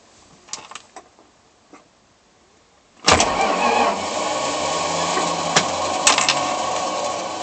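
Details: Chrysler Slant 6 starter: a few scattered clicks, then cranking with harsh gear clatter and rasping; starter drive gears stripped.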